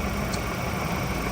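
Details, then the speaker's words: Ford Raptor diesel after all four injectors were replaced and an injector learning procedure was run (a cylinder 3 injector had failed before): an even, steady idle with no knock or misfire. Normal, smoother than before the repair. "Learningหัวฉีดเงียบมั้ยเงียบมากเลยนะเสียงเสียงเพะกว่าในคลิปที่แล้วนะ"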